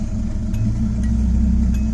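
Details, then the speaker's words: Datsun 280ZX S130 inline-six, cold start, after fixing carbon-fouled plugs and adding fuel treatment: steady low rumble with an even beat, no misses or knocks; smooth idle, running much better. "it's running much better so we'll keep track of it"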